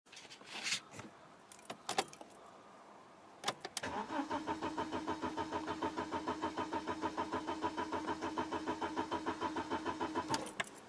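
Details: BMW E46 3 Series cranks strongly at about 200 rpm for six seconds but never fires; no fuel pump hum at key position II, so the pump is not priming. Glovebox fuses and relays tested fine, and the under-bonnet fuse box is being checked.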